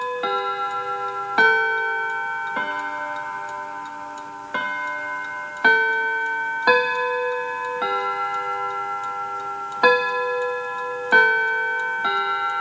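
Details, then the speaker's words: 1948 Seth Thomas tambour mantel clock with Westminster chime on the quarter hour, adding four notes each quarter: clear bell-like chime notes in groups of four, ringing and decaying evenly, likened to Big Ben. Normal Westminster chime. "I love that Seth Thomas chime sounds like Big Ben doesn't"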